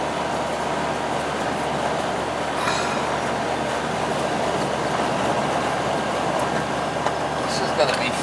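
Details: Old R22 AC condenser fan after replacing a dead capacitor that caused surging and likely stopped it starting: steady, even whoosh, no rise and fall in speed; running good.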